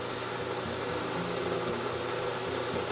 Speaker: it's already kind of making like a boiling water type sound and that's because it does have an inner tank and it's boiling the water inside